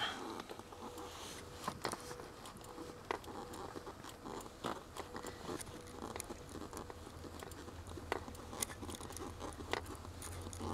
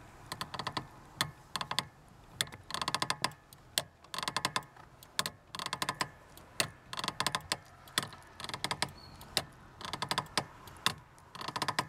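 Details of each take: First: Lada Granta liftback clutch pedal after WD-40 lubrication, which cured a rusty-spring-like squeak and grind after pressing: strokes now give only soft light clicks from the mechanism and no squeak. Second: Lada Granta liftback, clutch pedal operated with engine off: sharp creaky chirps about every half second, one per pedal stroke; clutch pedal return spring squeaking, to be lubricated with WD-40.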